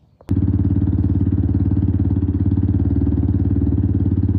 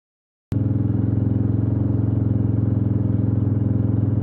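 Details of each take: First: 1996 Suzuki DR350 single-cylinder, unrun for over ten years: even thump about 210 beats a minute, catches instantly and holds a steady idle, runs cleanly. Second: 1996 Suzuki DR350, first kick-start after over ten years sitting: steady thump with a faint knocking, grinding clatter; oil flow to the top end confirmed, owner plans to check the pickup coil under the stator cover.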